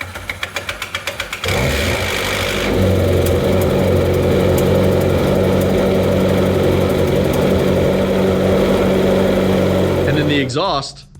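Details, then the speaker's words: McLaren 650S Spider cold start: quick ticking while cranking, then a loud busy idle, a loose timing chain rattling from a non-working tensioner before oil pressure builds, easing slightly after; separate from its bad cam phasers. "so that noise that you first heard before any oil pressure comes in here to put pressure on these is this rattling around and then it gets a little bit better because you get some oil pressure in it"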